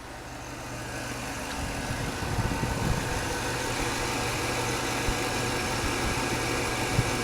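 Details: 2003 Suburban 5.3L Vortec V8, 200,000 miles, after a spark plug change (.060 gap) and intake manifold gasket repair for vacuum leaks (P0171/P0174): steady, even idle with a smooth low rumble and no misses, hunting or hiss; running clean.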